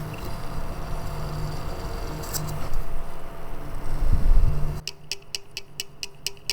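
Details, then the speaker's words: Computer power supply fan tested on an extension: quick even ticking, about four light clicks a second as it spins up; worn bearing no longer holding, letting the rotor rattle. "sound that means something on our bearing it's not holding it anymore and since it's sitting like this in the computer every time it turns on it does that sound"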